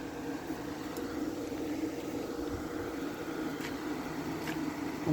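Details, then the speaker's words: Small Carry Cool window air conditioner running with a calm, steady low hum and even fan noise, no rattles or knocks; unit running normally. "this thing works too these little carry cools have a night have such a nice sound to them"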